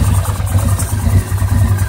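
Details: 2009 850 XP ATV: lumpy, uneven idle with stumbling beat, running rough with burping, backfiring and a miss; persists after throttle cable adjustment and repairing mouse-chewed wiring; cause unknown.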